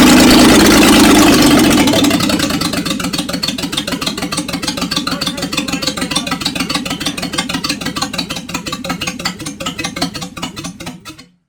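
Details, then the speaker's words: 1976 Jaguar XJ12 with newly installed V12: loud, raw open-pipe rumble with fast even firing pulses, no knocks or misses; oil pressure gauge up, smoke cleared, no unburnt-fuel smell; healthy idle. "we have oil pressure gug went up as well and actually sounded pretty good quite loud happy"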